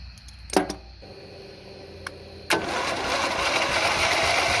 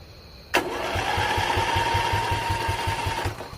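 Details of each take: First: Single-cylinder Briggs & Stratton Intek engine on an old off-road race mower, cranked on external power after seeming locked up: clicks, then a strong, even churn with steady compression beats about three per second; the engine turns freely. Normal starter cranking. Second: Briggs & Stratton Intek single-cylinder engine on an old mud-racing mower, choke removed and covered by hand: the starter whines and the engine chuffs over at a slow, steady crank but never catches; there is no suction because the carburetor has a hole.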